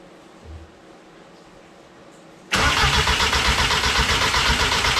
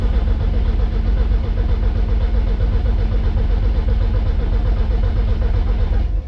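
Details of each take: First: Mk1 VW Rabbit with DQ250 gearbox swap, running E85, battery borrowed from another car: quiet, then steady rapid cranking about four beats a second that never catches. Crank no start because the ignition coil was not grounded. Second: MK1 Rabbit with a swapped turbo engine, donor battery fitted, oil pressure primed, injectors unplugged so it can't fire: steady, even cranking about two turns a second, no misses or clunks; normal cranking.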